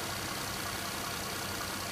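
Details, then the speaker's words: Nissan Murano Z51 warm at operating temperature idling at 600 rpm after throttle body cleaning, no relearn done: steady, even idle hum with slight slow speed wobble, no knocks or misses; normal idle. "Ну вот они, 600 оборотов рабочие. Ну что, вот слышно, отчетливо слышно, как работает двигатель."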